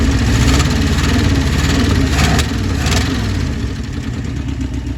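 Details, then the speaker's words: 1966 Ford Thunderbird 390 V8 idling shortly after first start with new carburetor and idle screw adjustment: steady, even low rumble with no hunting or stumble; best it has ever run. "Literally a minute, 30 seconds later. Again, that's the best she's ever run so far."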